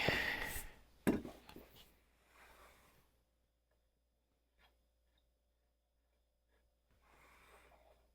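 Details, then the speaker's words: Stanley hand plane (compared against a WoodRiver; a Stanley #5 is listed), used for the first time in a long while. Its thin blade is hard to fine-tune and hard to pull a shaving with. Strokes give an uneven, juddering rasp instead of a clean hiss: blade chatter. "It's hard to fine tune it. It's hard to pull a shaving off of it. Did you hear that chatter? That's that blade."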